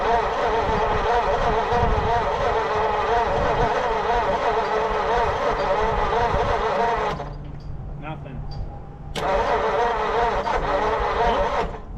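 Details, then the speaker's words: 1940 Mercury Eight, stored since the 70s, cranked on fresh fuel: starter churns about three and a half turns a second, pauses, cranks again, with only a small pop; won't start, timing being adjusted. "I heard a little pop. Not what I was hoping for exactly, but let's give her some more fuel"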